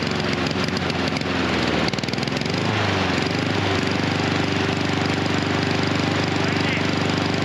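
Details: Husqvarna HU 700F mower with choke that keeps closing and staying choked after the lever is pulled. The single-cylinder engine lopes unevenly at first, its beat wandering before it settles; rough running comes from the stuck choke.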